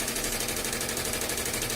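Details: Velles VE 15CN SC single-head embroidery machine stitching: sharp rapid evenly spaced knocks as the presser foot overtravels and strikes its housing because the cam follower guide roller is worn after about 1–1.5 months.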